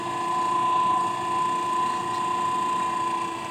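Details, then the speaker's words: Mueller centrifugal clothes spinner (220 V) that only hummed and wouldn't spin, running normally after its capacitor was replaced: steady whirring hum with a constant high tone, drum spinning evenly at speed with no straining. "vamos ligar lá E aí ó o problema resolvido"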